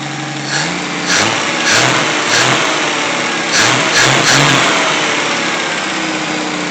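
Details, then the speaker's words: 1964 Pontiac Tempest inline-6 after a budget replacement carburetor: quick throttle blips pick up cleanly and settle back to idle without stumbling. Before, it nearly choked out when given gas; now clean throttle response. "It used to be before when I give it a little bit of gas, it almost wanted to choke out and you had to play with it to get it to come up. Now, we got this."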